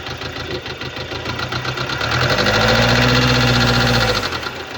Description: Das Geräusch im Video stammt von defekten Hydrostößeln im Motor deines Subaru Legacy.